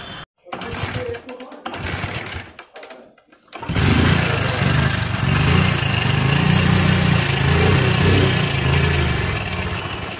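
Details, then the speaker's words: Hero Splendor Plus single-cylinder engine before half-engine teardown: loud, uneven beat with loose mechanical clatter on every stroke; engine badly worn, parts described as heavily damaged. "जैसा दोस्त अभी आपने engine की आवाज़ को सुना तो इंजन की आवाज़ को सुनने के बाद आपको यह अनुभव हो चुका होगा की इस इंजन की कितनी बुरी स्थिति है मतलब ये इंजन कुछ ज्यादा ही बेकार है"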